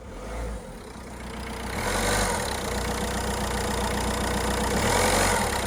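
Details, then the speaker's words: Non-running Citroën DS3 diesel at 116k, first start after an engine rebuild with the engine management light on: it settles into an even, steady idle with a regular beat and no knocks or rattles, quieter than a van. "now this is a cheap car you've always got that chance that it's knackered like that's quieter than my van"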